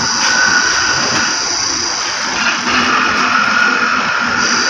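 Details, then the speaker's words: Hyundai i10 electronic power steering (EPS) motor after repair, bench-tested on direct power, red positive and black negative: steady, even high-pitched whirr, no grinding or knocking; motor runs quiet and healthy. "Rinig na rinig naman sa video. Yan, rinig na rinig naman sa video. Tahimik yung motor. Yan, tahimik siya."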